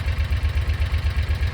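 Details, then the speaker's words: Kawasaki Mule 4010 (2009–2018 type, this one possibly 2016) idling smooth and even with no stumbles after an adjustment of about a thread width. Before the fix it stalled and was jerky at low speed and died when coasting off the throttle. "But check it out, runs smooth."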